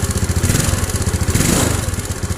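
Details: Yamaha Mio scooter cold morning start, smoking a little: choppy, uneven low putter with irregular pulses and slight clatter, rough running; cause not yet diagnosed.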